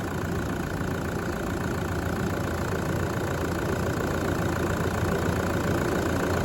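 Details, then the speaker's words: Brand-new engine just installed, heard right after its first start (the starter motor squeaked slightly). Steady, even hum at idle with no knocks, ticks or misses, like a new engine. Normal idle. "let's have a look around the engine bay how beautiful how beautiful is that just humming away just like a new engine"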